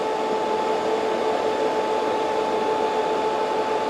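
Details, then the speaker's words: Harley-Davidson Twin Cooled engine that came in running hot with a trouble code, after water pump replacement, during coolant burping at half throttle: steady airy fan rush with two constant whine tones, no rattle or grind; normal fan and pump operation. "So, we're going to turn the bike on. We're going to give it half throttle. And you'll hear the fans come on, too. And that should suck down and pump through the system."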